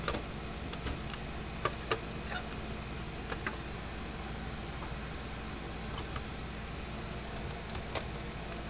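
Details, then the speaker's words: Older Gallagher M300 electric fence charger after repair, on test: faint sharp ticks every second or so over a quiet hum; pulsing normally again. "it was working all right so it's clicking it's not like it's working somewhere"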